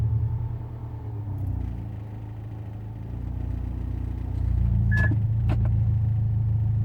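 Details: Proton Inspira engine just after a cold start: low uneven rumble with an irregular beat around three per second, a knock or misfire that goes away once warm; cause not confirmed.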